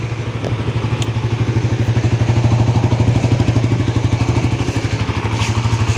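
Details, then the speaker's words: Suzuki GSX-R150 with a stock engine after more than 6,000 km of solo touring, no overheating, its typical tensioner noise reduced. Steady, even idle with a soft thump about three times a second and no rattle or ticking; healthy. "motor Suzuki ini suara mesinnya halus terus juga Jose mesin nyetok ya performanya Mantap"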